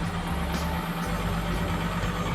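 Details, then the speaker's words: 1-ton compressor of a portable AC, started with a capacitor (power bank) on the run and start terminals: heavy, strained low hum after a hard start, current climbing from 9 A to 22 A before it stalls and stops; compressor is dead. "और stuck हुआ वो देखिए बंद हो गया है 22 ampere पे ना, फिर बंद हो गया। फिर इसका कंप्रेसर जो है ना वो ख़त्म हो चुका, मर चुका है।"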